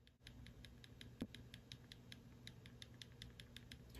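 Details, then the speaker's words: RC car pinion/spur gear mesh set correctly: light crisp clicking as the spur is rocked, with the tiniest bit of movement, so the teeth aren't wedged yet are not loose enough to whack and wear. "you can hear that clicking and you can feel the tiniest bit of movement in the spur which is telling me i haven't wedged those teeth but it's loose so it's loose enough but i'm not so loose that it's going to be whacking it"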